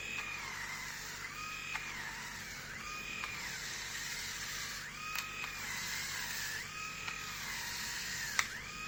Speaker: so i don't know how much it was how much you could hear but it seems like it's struggling i mean it sounds like it's struggling with my hair what i shaved yesterday